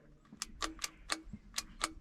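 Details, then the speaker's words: 1962 Ford F600 truck engine, first start attempt, Marvel Mystery Oil in cylinders: sharp dry clicks about four a second, no cranking; bad ground in starter circuit, bypassed with jumper cable from battery negative to starter negative. "so we figured out after a lot of screwing around that there's a background in the starter circuit so we took a jumper cable and hooked it from the negative battery terminal to the negative um starter terminal and that basically bypasses any bad grounds"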